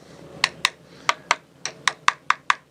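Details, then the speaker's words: Catalina 380 sailboat damaged in a hard grounding, tap test at the aft end of the keel. About ten sharp taps give hollow, papery clicks: fiberglass debonded from the keel lead, to be removed, lead reshaped and reglassed. "you can hear that glass is loose. This will be a relatively easy fix though."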